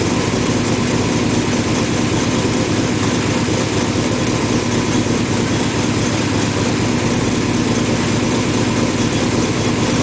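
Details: Engine's first start on the lift after new spark plugs and plug wires, fitted because a plug wire failed: smooth, even idle with a steady low rumble, no misses, ticks or knocks; running cleanly.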